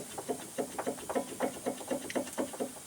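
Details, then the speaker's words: 2007 Pontiac G6 GT front end, jacked up with suspension hanging: quick hollow clunks, two to four a second, as a loose, dry, ungreased sway bar link end is rocked by hand; fixed with new greasable Moog links. "Every time you barely hit a bump, you hear that clunk, clunk, clunk, clunk. Okay, this is a 2007 Pontiac G6 GT. And we got that rattle in the front."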